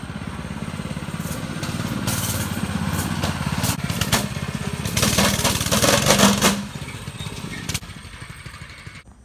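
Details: Go-kart small single-cylinder engine revs and pulls away with rattling, clattering chatter under load that eases off afterwards; the clutch moves a little and makes a lot of noise, a worn cheap centrifugal clutch.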